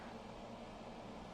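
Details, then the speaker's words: Budget 100 W COB warm/cool-white stage blinder: its cooling fan runs at a fixed steady speed, a faint airy hum that is barely audible from about 2 ft away, with no ticking or rubbing; normal. "So, it's not loud in my opinion. Um, I'm about 2 ft away and it's just barely audible. Um, on stage you're probably not going to hear this."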